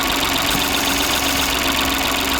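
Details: Stellantis PureTech car with no brakes, after the brake vacuum pump clogged by disintegrated belt debris was cleaned and refitted with a new gasket. Steady, even idle with a light regular top-end tick and no misses, during a finger vacuum test. Normal idle.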